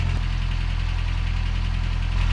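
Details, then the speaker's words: 1967 Toyota pickup body on 1992 pickup running gear, first start after the swap, no thermostat or one stuck open, valves already adjusted: steady idle with a fast, light chattering tick; owner suspects valvetrain chatter, unconfirmed. "Now, that sounds chattery to me, and I've mentioned that, but y'all said, "Welcome to Toyota.""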